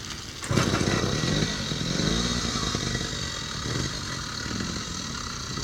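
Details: Rebuilt gas-engine mountain bike with a new sprocket gasket and solid motor mounts: it starts on the first kick and settles into an even, buzzy two-stroke putter with no misses. It runs normally.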